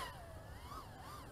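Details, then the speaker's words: Aurora RC Mini Fight 110mm micro FPV quad on 4S, punch-out in angle mode: clean motor whine rising and dipping smoothly with throttle, no stutter or wobble; little flutter, normal running. "much flutter so that's great yeah not much flutter holy cow awesome nice"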